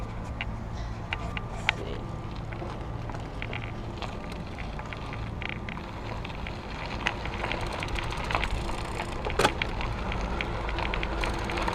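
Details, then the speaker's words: 2014 iGo Urban e-bike with 250 W mid-drive, riding on high pedal assist over bumps. Road rumble with irregular light knocks as the removable plastic battery housing, locked to the frame, rattles a bit; battery housing rattle. "you can hear the battery banging around a little bit like I was mentioning before not too bad"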